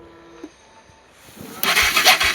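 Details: NA160 motorcycle on startup: quiet, then the engine catches and a loud tinny rasping rattle pulses with the idle; abnormal noise, the owner cannot tell its source.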